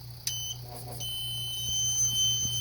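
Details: PowerBright inverter on about 13 V trying to start a compressor well above its rating: a steady, shrill electronic tone over a low mains hum as the compressor fails to start; overload alarm.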